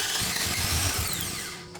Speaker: So you see how it cranked kind of fast? That's pretty indicative that there might be something wrong deep inside of the engine, and in that case, it might be time to take it over to a professional.